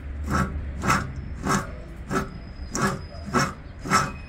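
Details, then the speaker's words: Mechanical bull (toro mecánico) motor, old and heavily used, shaft turned: rough grinding rasp almost twice a second; worn-out bearings, to be replaced with new bearings and a new shaft. "como pueden ver ya no sirven ir se oye mucho ruido"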